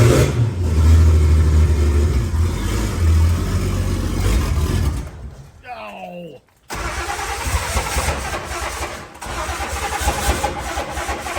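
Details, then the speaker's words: Turbo 170 Slant Six with EFI and T3/T4 hybrid turbo, finally running: loud, lumpy, uneven open-exhaust running with a brief stumble midway; rough because EFI ignition timing control had to be disabled to start it. "it's not happy I had to disable the timing to get it to start at all so obviously I need to figure that out but that is a running EFI turbo 170 slam 6"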